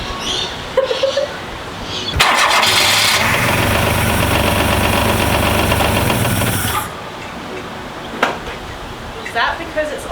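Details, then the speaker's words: Neglected 1992 Daihatsu Mira after timing belt work: cranks, catches and runs about four seconds with uneven lumpy beat, then cuts out; rough running, something possibly unplugged or timing suspected, cause not yet found. "so after all that the car was running but not very well we had done a fair bit of work now we had the arduous task of trying to find what was unplugged or why it wasn't running well enough"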